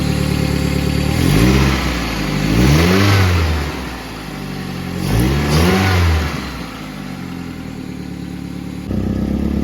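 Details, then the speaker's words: 1995 Toyota Celica, engine revved twice then idling, raspy puffing exhaust note; OEM flex pipe between header and cat leaking at the two-bolt clamp joint, to be replaced. "It seems like it's leaking from there. And it's creating this exhaust leak when you turn on the engine."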